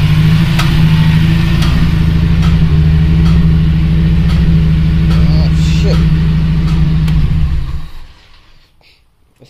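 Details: Honda Civic Si EP3 K-series engine with a bent valve damaged on the way home: deep lumpy idle with a steady off-beat thump about four times a second, then shuts off; misfire, dead cylinder from bent valve.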